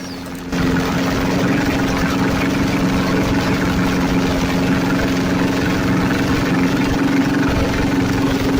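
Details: Budget junkyard Chevy 350 small block, freshly rebuilt, first fire-up on the floor through headers, recorded on a phone: a brief crank, then a loud, raspy but even idle; the harsh header noise is nothing mechanically wrong. Normal running.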